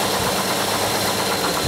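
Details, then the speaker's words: 2001 Hyundai Santa Fe with an idle problem, coolant sensor circuit never read over 159°F, engine warm with fan cycling, sensor wiggled: steady petrol idle with a slight uneven hunt; idle fluctuation traced to faulty coolant temperature sensor, wiring or sensor unconfirmed. "We definitely identified this as a coolant temp sensor fault that's causing it."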